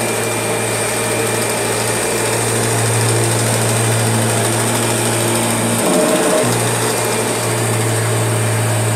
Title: Strange Noise Kirby G6 #2